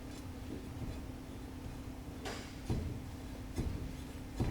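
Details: 2012 Lincoln MKZ with Ford 3.5L V6, on a lift, raised front wheel levered upward with a steel bar: dull clunks from the front suspension, showing a front-end clunk behind a rough ride.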